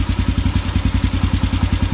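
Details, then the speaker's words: Carbureted motorcycle single at idle while the idle mixture screw is turned in toward seated: it starts choking at a half turn in and gets worse further in. The beat is lumpy at about nine a second, a lean idle stumble. "a half turn in starting to choke up a little bit half in getting real bad full in that should be right there"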